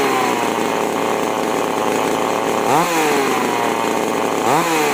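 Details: Chainsaw (model 5002/5018 type, carb with H and L screws) after carburettor tuning, H and L set about 1.5 turns out from seated; steady high buzz with crisp, clean rev rises at full throttle, no bogging or stumbling; properly tuned, normal running.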